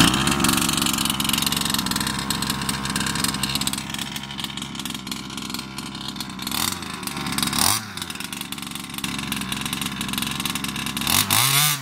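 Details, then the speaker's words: Customer's Baja 5B RC two-stroke engine after swapping in a different carb: high buzzy steady run, then snaps up and drops back cleanly, crisp with no bogging; the fault was the carb, not the piston ring. "as you guys can see cop swap out immediately it revs up it's got the performance oh it's definitely not the ring it is the cop"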